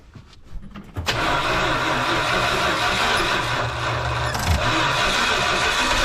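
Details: 1971 Dodge Sportsman Class C motorhome, 360 V8 with freshly rebuilt Holley two-barrel carb, started after a sketchy fusible link was noted: a few clicks, then it catches at once into a steady, even idle with no misses or knocks.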